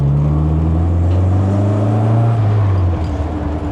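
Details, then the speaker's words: MG Midget after winter hibernation: steady smooth engine note under light load, pitch easing as revs drop, no misses or knocks; running beautifully. "She's uh temperamental Manoflow. It is running beautiful"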